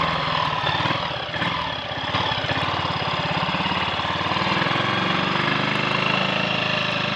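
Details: Triumph Sports Cub single on a road run after cleaning rust from the fuel tank and fitting a protruding-electrode spark plug: steady, even thump under load with no stumbles or cut-outs; misfiring and cutting out gone.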